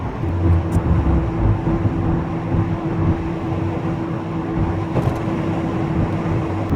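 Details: VW Golf Mk3 cabriolet rear wheel bearing (owner suspected it was worn): at steady road speed there is even road roar, with no growl or hum climbing with speed; the bearing runs quiet.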